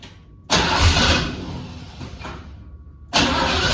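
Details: 1977 Ford F-150 Ranger with factory 460 big-block V8, carbureted, after 20+ years of indoor storage, on a cold start. It catches on the first crank, idles deep and steady, then revs cleanly. It is healthy apart from slight black smoke on revving.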